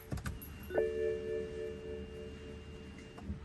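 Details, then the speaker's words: 2007 BMW 335i N54, sat a couple of days, battery good and lights bright: key turned, fuel pump hum and chime but no starter click or cranking at all; starter motor not engaging, new starter to be fitted. "I'm not really even hearing any type of any play from that starter trying to move or anything. It's no click like usual, or not even trying to turn halfway."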